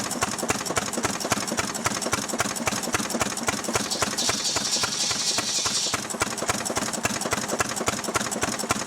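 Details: Restored 6hp Fairbanks Morse Model Z engine running on kerosene, driving a buzzsaw cutting firewood: strong, even firing roughly 220 beats a minute holding steady; healthy engine pulling its load normally.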